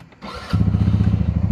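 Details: 2023 Polaris RZR 200 starts quickly after a no-start fix: the brake switch at the brake reservoir was bypassed with copper wire from coax cable. Starter catches and the engine settles into a quick, even firing pulse with no stumble; a clean, healthy start.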